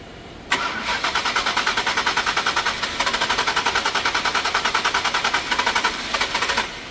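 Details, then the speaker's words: 2020+ Ford Explorer Platinum 3.0L: about six seconds of steady starter cranking, roughly eight even compressions a second, with no firing; long crank or no start caused by a faulty fuel rail pressure sensor. "and it started just fine right it tookes a little while so that's the scenario that you guys are getting crank crank crank crank crank no start crank crank crank no start crank crank no start"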